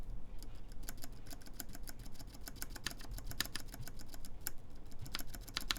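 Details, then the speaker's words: Mode Envoy keyboard, aluminum plate, lubed Cherry MX Black switches, screw-in QMX stabilizers: irregular sharp key clicks, each with a small dry tick on return. The spacebar is tight and rattles, possibly from an overtightened stabilizer screw; stabilizer ticking. "so there definitely is a bit of ticking let's hear the space bar here makes it kind of too tight for this this bar"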